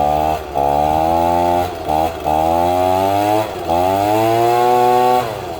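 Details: Two-stroke leaf blower after repair, previously hard starting then non-running; primer now working: fires up and revs cleanly through throttle blips, pitch rising and falling evenly, no misfire; runs healthy.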